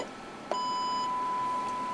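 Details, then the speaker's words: Kenwood TH-48 handheld radio after no-audio repair, external voltage supplied: a click, then a clean, steady 1 kHz test tone without dropouts, confirmed on the tester; audio path working. "And here we are. And you see, it is 1 kilohertz. It is a clear sign. We have"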